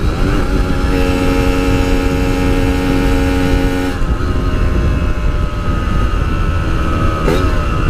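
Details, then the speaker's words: RX King two-stroke held at high revs while riding, then eased off, after fixing a high-rpm stutter (a loose coil wire, now soldered): pulls smooth and even with no stutter or misfire; repair successful. "Oke Guys berhasil Jadi itulah dia tadi Eh Setelah semuanya diperiksa semuanya dibenerin Alhamdulillah berhasil dengan baik puas banget rasanya bisa punya kemampuan begini ya guys"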